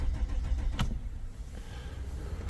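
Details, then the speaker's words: 2007–2008 Chrysler 300C hire car, won't start after a break-in knocked it out of park: cranks in neutral (not in park) with low rhythmic starter thumps but never fires; later traced to a split fuel pipe. "I've took it out of park and now it's cranking but no"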